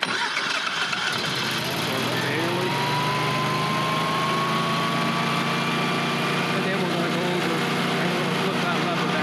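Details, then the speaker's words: Air-cooled Generac standby generator started manually (as when it fails to perform in an outage, or after service to check for oil leaks): engine catches quickly, pitch climbs and settles into steady governed run, normal start. "We start it up manually, make sure there's no oil leaking or anything like that. So that's how you start it manually. And once again, it's going to run until you shut it off."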